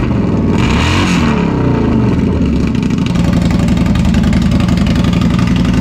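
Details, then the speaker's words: Indian Scout (about 1200cc V-twin, not the Scout 60) with a newly installed Two Brothers Racing Comp S 2-into-1 exhaust: deep, loping beat with a quick rev blip, then a steady, even idle; engine and exhaust sound healthy. "That sounds good though. Sounds a lot better. That sounds so good."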